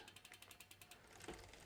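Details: Mountain bike rear derailleur just after setting both limit screws, coasting: even, quick pawl ticking about eight per second with no chain rub or scraping; the drivetrain sounds properly adjusted.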